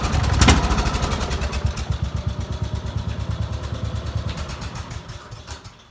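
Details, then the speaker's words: Petrol single-cylinder tractor engine running on diesel fuel: small thumping about three beats a second, harder knock only when given throttle; runs on diesel but won't start on it; engine knock from diesel in a petrol engine. "But I put diesel in it, and this is what it does. If you listen closely, you can hear it knocking."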